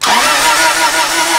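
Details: 1994 Toyota Celica 1.8 with no-spark fault and aftermarket cold air intake: starter churns in rapid, slightly uneven pulses, engine never catches; cranking sounds flooded, injectors plugged in, key on, fuel pump heard running.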